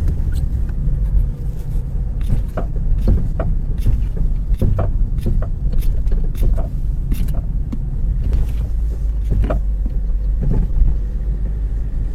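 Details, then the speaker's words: Car braking sharply on the road: loud, sharp, irregular clunks over road rumble, coming from the suspension and attributed to worn lower control arm bushings. "qui est beaucoup plus fort ça fait vraiment un gros claque claque moi je veux bien quand ça claque comme ça ah un gros claque c'est ça ça se le fait quand je freine d'un coup sec avec la voiture"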